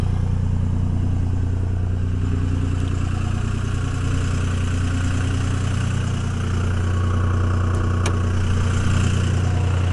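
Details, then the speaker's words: 2002 Dodge Ram 24-valve Cummins HO with a VP44 pump, cold, in three-cylinder high-idle warm-up mode at about 1200 rpm: loud, lumpy diesel drone with an uneven beat near three per second, raising load and exhaust temperature; normal. "kind of sounds like a little bit of a mess it's kind of a normal sound you'll hear out of them"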